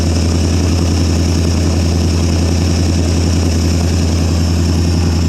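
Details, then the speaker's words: 1973 Ford Gran Torino Sport, 351 Cleveland V8 off the road for 30 years, first start on carb-fed gas: loud steady exhaust drone, even beat, no lifter clicks or knocks; oil light goes out, alternator not charging. "Well, the engine don't sound too bad right now. Hard to hear with all the exhaust noise, but oil light goes out, stays out."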